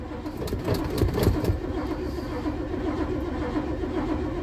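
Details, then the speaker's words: 1987 Winnebago cold start after sitting, following a battery terminal upgrade and pumping the pedal: an uneven cranking chug of about four beats per second with no firing. It later catches but is out of fuel. Crank, no start. "It sounds like a whole lot of nothing. Come on you old 54 fuel in this damn thing."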